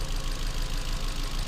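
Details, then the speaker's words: Ford Fiesta with cylinder 1 misfire code, idling low and lumpy with a stumbling beat; compression test read only about 20 psi on cylinder one. "that was cylinder - that was cylinder three that was still in the four and cylinder one was not even it was reading twenty psi"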